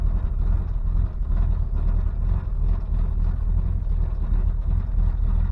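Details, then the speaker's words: 1988 Chevrolet S10 with new engine and TBI, fired after sitting; deep, uneven, lumpy idle that "sounds like crap", service engine light on; owner wonders about an exhaust restriction, cause unconfirmed. "sounds like crap"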